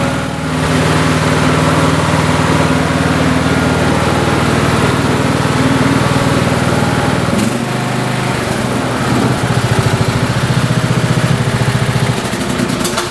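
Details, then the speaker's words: Lawn tractor single-cylinder engine started with choke on after the choke linkage fix for hard starting; catches and settles to a steady, even idle, note changing slightly midway, sounding healthy. "I'm going to shut the hood, start it up, and let's put the choke on here."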